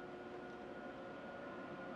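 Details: IQair Compact rebuilt with a 309 CFM inline centrifugal fan in place of its seized motor, run at full power on a ceiling-fan speed control: an even, steady rush of air with a faint constant hum and no rattle or wobble. The fan runs smoothly.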